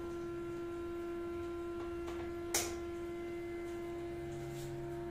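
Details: Steady high-pitched humming tone holding one pitch, with one sharp knock midway, heard in an HDB toilet and bedroom; source unknown, disturbing morning and night sleep.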